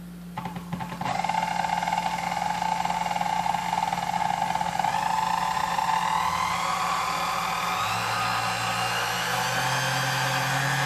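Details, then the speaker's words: 1936 Sunbeam Mixmaster Model 3 after full restoration with new grease, cord and feet: steady, even motor hum with a clean constant pitch and no rubbing or knocking; runs nice and smooth. "Alright, so as you can tell, it runs nice and smooth, sounds good, and should run for many years to come."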